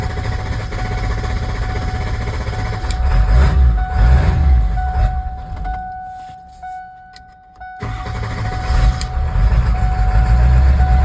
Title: 97 f-250 power stroke. Hard start and stall.